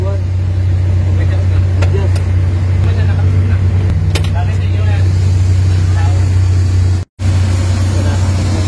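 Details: Suzuki K6A engine after fitting the ACB: steady low hum, even tone, no hunting or surging; earlier rising-and-falling, hunting idle with no DTC now resolved, idle stable.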